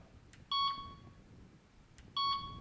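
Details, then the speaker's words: Delkim Txi-D v2 bite alarm tone selection: two short clear high beeps about 1.6 seconds apart, each with a faint click, the selected tone playing normally. "Now I can go down, just let go of the button, hold it down again to repeat, and you can just find the tone you want."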